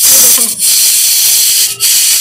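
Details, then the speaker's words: Hawkins Futura pressure cooker boiling potatoes: soft steady high steam hiss with short dips as pressure builds normally and the lid locks. "Cooker में आपका gas बनने लग गई है और इसकी आवाज़ ज्यादा तेज तो नहीं है पर देखो पता चल रहा है ना ये"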